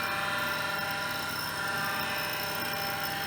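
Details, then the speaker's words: IBM PC AT 5170 hard drive powered up after battery-leak damage: steady high whine with a rough gritty edge at constant speed; rough worn spindle bearings, drive spins, possible head crash suspected. "those are some bad there there's some rough bearings in there okay it hasn't blown up that's a good sign and the hard drive spins this is good"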